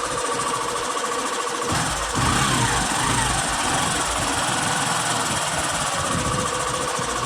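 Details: Hero Passion BS6 motorcycle at idle: fast, uneven metallic chatter rides over the single's idle, a loose ticking rattle from the timing chain, which is then replaced.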